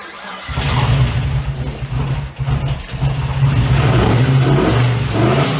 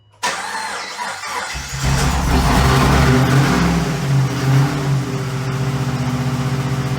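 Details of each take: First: Freshly rebuilt LS V8 with race parts, first start in a 1950 Chevy on a G8 chassis, transmission cooler lines not yet hooked up: deep, even rumble picks up cleanly through blips and settles back without misses or knocks; healthy running. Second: 6.0 LS V8 from a 2008 Pontiac G8, swapped into a 1950 Chevy chassis with race parts and a big lumpy cam, not yet tuned: catches, then idles loud and lumpy with an uneven loping beat and surging revs, never settling; the cam and missing tune are blamed.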